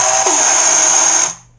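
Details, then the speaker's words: ZippKits R4 FE rigger RC boat, electric drive, after failsafe fix: steady high-pitched whine while the motor spins, cutting off cleanly; drivetrain is loose with no grease in it yet. "Now that noise you're hearing, like, is because everything's loose and there's no grease in there."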